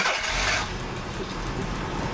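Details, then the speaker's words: Engine's first start after major service and 250 hours of work, fluids and coolant topped up, fuel system primed: short hissy crank, then catches into a low slightly uneven, shaking rumble; starts and runs. "Ooh, it's running. Well, it's shaking a little bit. It's certainly running."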